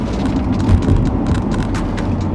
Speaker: Turning right, turning left. No noise. I believe we've got that sorted.